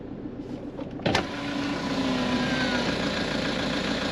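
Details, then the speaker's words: 440,000 km Toyota D4D diesel after engine repair, first startup: click, then catches and settles into a smooth, steady hum with no knocking; normal idle, sounding far better than before. "sounds 100 times better than it did. I'm bloody over the moon."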